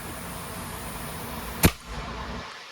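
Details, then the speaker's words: Meritor MD2014X power divider on a Kenworth after input shaft seal replacement, shop air applied: one crisp air-driven pop as the lockout engages, no grinding; the power divider lockout locks properly. "you hear the pop the rim is locked in now all the power divider components are locked"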